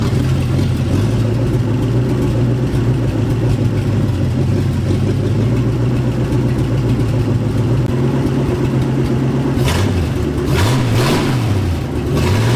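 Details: Turbo 360 FE Ford F100 during cam break-in, after the spark plug wires were redone to the correct firing order for the counterclockwise-rotating distributor: steady, even low rumble at idle with a couple of clean throttle blips; engine sounds smooth.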